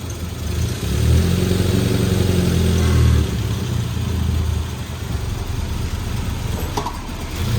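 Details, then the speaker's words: Suzuki Samurai with a swapped 1.6L 16V engine and a new head and gasket: the engine catches and runs with a lumpy, uneven beat that surges and sags, then dies. The owner says the timing wasn't quite right, so it runs rough. "that's what timing what just wasn't quite right it's running pretty good hey Kyle [Music] it sounds gnarly oh timing wasn't tight so it died"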